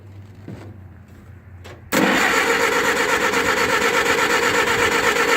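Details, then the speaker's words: Oliver 550 gasoline tractor from auction, choke off, strong battery: starter turns it over at a steady two to three pulses a second without catching; flooded with fuel on the plugs, owner suspects a stuck carburettor float. "so you can see here we got a bunch of gas I think maybe we've got a stuck [Music] float possibly we haven't got the choke pulled the choke is off"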